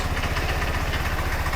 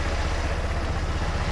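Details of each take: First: Bike running for the first time, not yet reassembled, no air box or filter: rough, loud, deep lumpy idle with raw blatting beat; owner says it needs a new exhaust. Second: Automatic-clutch bike, not fully reassembled, needing a new exhaust: low, even, quick putter idling cleanly with steady beat and no misses or knocks.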